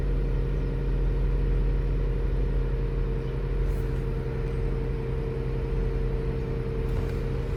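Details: 2015 Dodge Durango after oil pressure sensor replacement (P0520), intake reassembled and codes cleared. Steady, even low idle with no knocks, misses or ticks. Normal idle.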